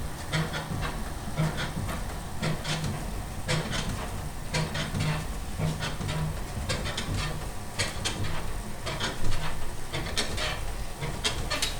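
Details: Freemotion 510 elliptical in use: a sharp squeaking click about every two-thirds of a second, in step with the stride.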